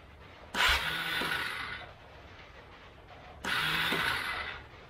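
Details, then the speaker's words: 1999 Yamaha Bear Tracker, choke on, rainy day: two short starter whirs that spin up and cut off with a clack, never catching the engine; starter gear keeps kicking out, case to be reopened. Starter gear disengaging. "well as you can hear it kick the gear out again so i'm gonna pull that case back off"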